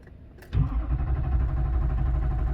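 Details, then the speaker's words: Duramax diesel engine after repair: brief crank catches quickly, then a steady, even low rumble at idle; the earlier popping noise is gone, no smoke from the tailpipe. "sounds good rolling over it's running i'm just looking for leaks i already can tell that the popping noise is gone seems to be idling pretty smooth"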